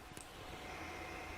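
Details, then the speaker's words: Tronxy X5S 3D printer hot end cooling fan after replacing stock fan with Noctua NF-A4x10 FLX, printer idle, not heating, mic about six inches away: soft steady airy whir, faint high note, much quieter than stock; normal. "okay that's it on and I can already see on the gauge of the camera that it's much much quieter"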